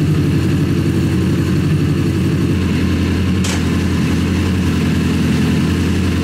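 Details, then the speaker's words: Rebuilt Honda CBR 1000 buggy engine after major cylinder damage, reassembled, clutch and gears checked. Deep, steady low rumble with even firing, no knocks or rattles; running healthy, best it has sounded. "this thing has a really big deep Rumble to it which is uh it sounds like it sounds the best it's ever been"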